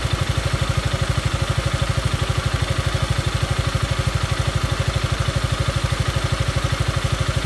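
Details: Yamaha Maxam (Magzam) scooter, investigated for abnormal engine noise: steady even idle with regular low firing pulses, no knocking or rattle; engine settles and runs smoothly.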